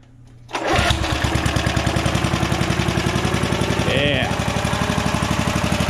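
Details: Vintage heirloom pull-start lawn mower catches at once into a steady, even single-cylinder beat about four a second with no misses. It is running healthy; it had been turned too low to the stop position, and a cable probably needs oil.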